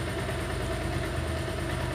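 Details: Bajaj Pulsar 180 after CDI replacement fixed pickup and starting problems, carburetor adjusted: steady, even single-cylinder idle around 1000 rpm with no misses or knocks; idling cleanly.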